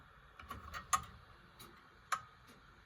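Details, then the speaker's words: Antique grandfather clock with crutch wire deliberately bent off to one side, heard through an amplifier; sharp ticks with clearly unequal gaps between tick and tock, well off, clock would eventually stop; clock out of beat. "It's well off. Now, that clock will certainly stop at some point. There's no way that is going to carry on like that."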